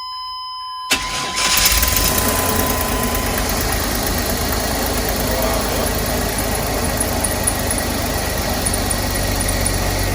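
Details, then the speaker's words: 2001 Chevy Express van, 4.3 V6, first cold start at 35°F without starting fluid after spider fuel injector, ignition coil and distributor replacement: quick crank, catches at once, steady even idle with no misses, no service engine light; normal cold start and idle. "no service engine light it's running great wow that's what it was i'm running super good"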